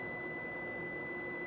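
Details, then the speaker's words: Lab gas furnace with no-heat complaint: meter across the pressure switch beeps steadily while the inducer motor is off, so the switch reads closed when it should be open; pressure switch stuck closed. "This switch is closed. The inducer motor is not running, so that is not supposed to be the case."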